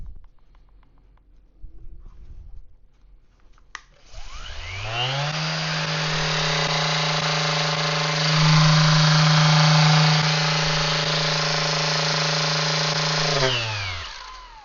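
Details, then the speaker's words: VEVOR random orbital sander, 5 mm orbit, at its 10,000 rpm maximum: steady buzzing whir with a wobbly, uneven hum at top speed that settles as it winds down; sounds unbalanced. Vibration at high speed, imbalance suspected, not confirmed. "Not gonna lie, it kind of feels like it's gonna not shake apart, but that sound doesn't sound like it's balanced. And I guess obviously it does have the orbit, the 5mm orbit, but it feels like something's off at that speed."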